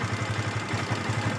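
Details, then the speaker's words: Yamaha FZS V2 single-cylinder at 437 km, idling: fast, even ticking clatter from loose tappets and a slack timing chain, caused by rough riding during break-in. It needs tappet and timing chain adjustment. "গাড়ি ইঞ্জিনের সাউন্ডটা একদম বাজে হয়ে গেছে। সাউন্ড টেপিড, timing chain loose হয়ে গেছে।"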